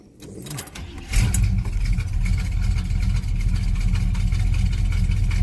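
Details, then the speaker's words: Cold start of a Monte after fitting the correct 3/8 fuel filter and a stiffer throttle spring: the engine catches after a brief crank and settles into a steady, deep, smooth idle, already running better than before; normal idle. "it sounds like it's about to Sparky old self and that already sounds better"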